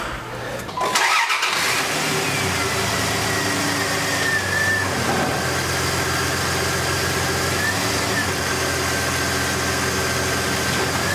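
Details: 2001 Dodge Dakota 3.9L V6 after the serpentine belt was reinstalled: the engine cranks, catches within a second and settles into a smooth steady idle with no squeal or chirp. Normal idle.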